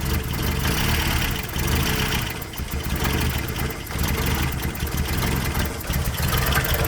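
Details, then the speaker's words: 1990 Toyota Pickup/Hilux 22RE after engine reassembly, once warmed up: idle lumps and stumbles with uneven dips; owner suspects a temperature sensor sending bad readings upsetting the mixture, not the minor injector leak. "and it's not because of the fuel injector leak because the fuel injector leak is not really that bad but it's just got up to a certain temperature and i'm betting you a temp sensor is sending it a bad reading causing it to screw with the mixture"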